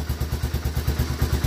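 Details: 1985 Honda Fourtrax 250 after a no-start was fixed by reassembling the start button: steady single-cylinder putter at about nine even beats a second, no misses or knocks; clean, healthy idle.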